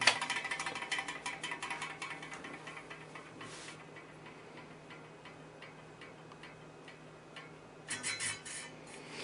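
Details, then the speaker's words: Vintage Arctic Air fan run with the cage off gives light irregular clicking over a soft whir as something catches while the blade turns. The shaft seems fine, and a loose center hub is suspected but not confirmed. "I want to try running the fan and see if it still makes a clicking noise with the cage off"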